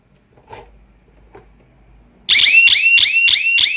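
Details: Home-built power failure alarm: mains powers a relay, and when mains is cut the relay drops out and a 9V backup battery feeds the siren through the normally-closed contact; shrill falling siren chirps repeat rapidly; alarm sounding on power failure.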